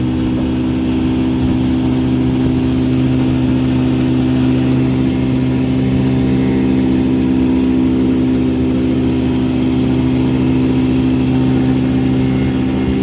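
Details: 1959 Elgin 7.5hp two-stroke outboard on 24:1 full-synthetic mix, on the pond after crankshaft repair and restoring spark: steady, even buzz holding one pitch without misses or surging; running cleanly and just about planes off.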